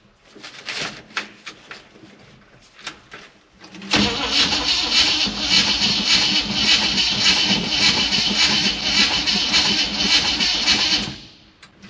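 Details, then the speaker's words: K20 truck on its first short drive after sitting all summer, with a non-working clutch: several seconds of cranking, then it catches and runs roughly for about seven seconds before dying. Fuel starvation; it isn't drawing fuel from the tank. "it's still not drawing fuel out of the tank."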